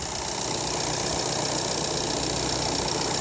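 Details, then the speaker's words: VW Golf 7 2.0 TDI CLH (EA288) diesel, first start after replacing the defective timing belt tensioner roller: steady, even idle with smooth clatter and no squeal or odd noises; normal idle. "Pierwsze odpalenie. Widać, że jest w porządku. Nie ma już żadnych dziwnych dźwięków."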